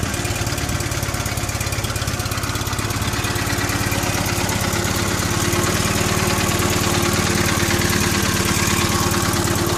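Small twin runs with an even, steady beat that picks up smoothly as revs rise, with no knocks or misses; a healthy engine.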